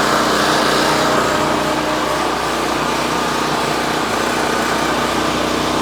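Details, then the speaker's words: Champion 4000 generator with new replacement carburetor, running on choke before tune-up: small single with busy, slightly uneven beat, a little choppy, then fuel valve shut off to let it starve; rough on choke. "you can hear it's a little choppy I just turned the fuel valve off so at this point we're just going to let it die from fuel starvation"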